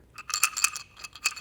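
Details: Shaken electronic throttle body from a 2010 Chevy HHR SS that would not accelerate: light, irregular tinkling rattle from parts broken loose inside; its internal throttle position sensor failed, sending the car into limp mode.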